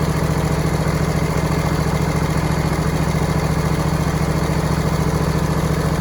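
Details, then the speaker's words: High idle on a homemade John Deere/Suzuki "Frankenstein" outboard running in a test tank after an in-gear prop test: a quick, steady, even idle beat that sits faster than it should. The owner plans a governor or idle spring adjustment. "There's some other tweaking I want to do yet, which is it's idle a little higher than I want it to be."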